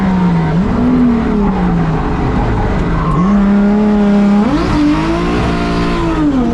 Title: Bad misfire